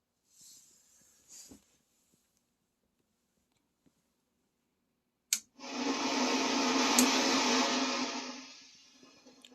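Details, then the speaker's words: 1996 Peavey 5150 2x12 guitar combo, standby switch flipped: a rushing hiss swells for about three seconds and fades like ocean waves; persists after replacing the 6L6 power tubes, so a leaking capacitor is suspected. "Problem persists, it's still there, so I don't believe it is the 6L6 tubes. So I don't think it's the tubes at all. I did some research online, and it said if it's not the tubes, chances are it's a leaking capacitor."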